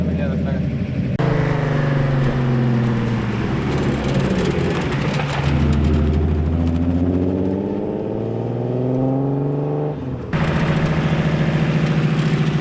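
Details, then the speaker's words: Nissan with new, beefier third-gear gearset and new clutch pressure plate: rising-then-falling gearbox whine when rolling off throttle in third gear, louder than 2nd and 4th, which don't do it. "That third gear gearset is louder than the other ones. When letting off throttle in third gear and rolling, the gearbox sounds different than in other gears. It doesn't do that in 2nd and 4th gear."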